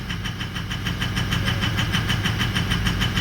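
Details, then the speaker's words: 2004 Ford 6.0L Powerstroke diesel pickup idling roughly: lumpy, uneven clatter about three knocks a second; FICM voltage dropped to 41–42 V during cranking (should stay above 45), oil pressure correct at 1280, so weak injector firing from low FICM voltage. "we're right in that exact pressure so we're not dealing with the low oil pressure but we are dealing with the low voltage on for the ficum"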